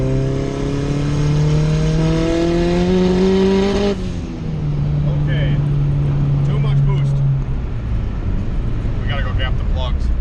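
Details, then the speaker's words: Turbo B20V in an EK with S300 tuning, very small plug gap, boost raised: the note climbs under load, then stutters and breaks up around four seconds; plugs or fuelling are suspected, not confirmed. "I forgot about that you hear it break up hopefully you guys can hear that on camera but she started stuttering a little bit"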